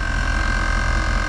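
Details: 2011 GMC Yukon Denali 6.2 L: continuous low droning hum that never cycles off, the rear air leveling suspension compressor running constantly because of a leak somewhere in the system; temporary fix is disabling it until repair.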